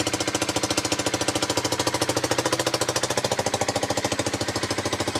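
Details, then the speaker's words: Steady, even single-cylinder thumping at roughly ten beats a second, no misses, on a rebuilt 8,700-mile Honda CBR125 now idling after injector, fuel pump and fuel were replaced; owner suspects failed pump worsened by old fuel. "so I'll leave that to run for a bit so the bike now runs"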